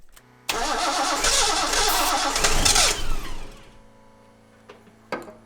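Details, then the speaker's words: Datsun 260Z after carburetors were refitted with ATF added on top, cranked via a remote starter switch with starting fluid. Steady cranking at about four beats a second for two and a half seconds, nearly catching but never running. Crank, no start; the cause remains unknown. "So close. Shoot. It's so close."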